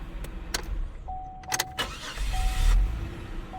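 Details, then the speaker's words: Buick with 43,000 miles, checked at a salvage auction: a quick crank catches almost at once and settles into a quiet, even idle under a door chime; starts right up, a healthy normal start. "Starts right up. Okay. It is good."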